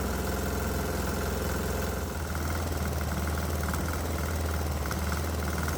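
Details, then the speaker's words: 196 cc 3 hp single-cylinder diesel switching from pure diesel to homemade 80/20 motor oil fuel blend as it reaches the injector pump; thump slows and grows heavier, struggling to hold 2,000 rpm versus 2,700 expected unloaded; rough running on improper fuel. "well it sounds like the mixture has reached the injector pump and quite frankly I don't think this engine likes it but it's still running so that's interesting"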